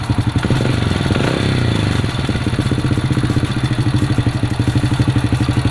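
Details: Supra motorbike after fixing a no-start problem and adjusting it; an even single-cylinder thump at about four beats a second holds steady without stumbling; idling smoothly and healthy.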